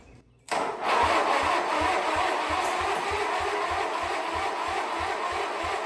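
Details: Wheel Horse 520H engine, freed from locked up in about a day, with spark confirmed and gas dumped down the carb; one crank, it catches and settles into a steady low thump about three beats a second; carb cleaning still expected.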